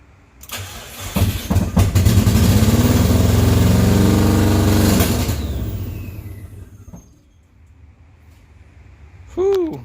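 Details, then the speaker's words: 1982 Subaru BRAT with a WRX engine swap on its first start: rough, uneven firing that lopes like a lawnmower and dies after a few seconds; the engine is misfiring. "like a lawnmower he's got a misfire - oh that was the official first start"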